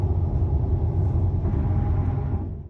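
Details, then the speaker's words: 2019 Subaru WRX STI at highway speed after a rear wheel bearing replacement under warranty for a buzzing drone above 60 mph: only low, even road rumble with no buzz, growl or whine. Normal road noise. "all is well and all I hear is the typical road noise all good"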